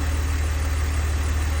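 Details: 2002 BMW 330Ci idle after spark plugs retorqued and ignition coils swapped: low steady rumble, no ticking or misses; earlier tick (possibly cylinder 5) gone; owner suspects collapsed lifter or slightly loose plug.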